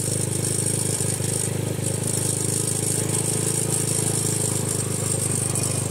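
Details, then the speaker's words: Honda Grom with newly installed Nibbi PE22 carb on stock settings: small single fast-idling steadily, slightly erratic, idle too high; owner suspects it needs a smaller slow jet. "it's idling up now that's erratic right there that's a little high"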